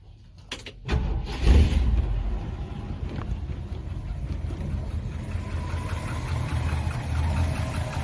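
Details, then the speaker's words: 1971 Ford F100 V8 after replacing a clicking part and fixing a leaking fuel line. Cranks and catches within a second, then settles to a steady, even low idle with no misses or knocks. Normal idle. "See? Runs like a glove."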